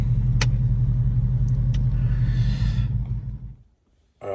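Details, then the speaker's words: Ram Daytona V8 idling after a replaced EGR valve: steady, even low burble about three beats a second with no skipping, misfire gone; normal idle. "it's already working good also replace the egr valve"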